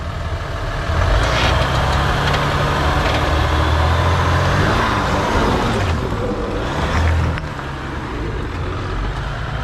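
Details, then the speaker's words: Crawling slowly up a rocky hill climb while two-pedaling: low engine drone strains, RPMs reluctant to rise and take a long time to climb under heavy load; engine bogging. "It just didn't want to drag itself over the rocks, and you can really hear the two-pedaling here."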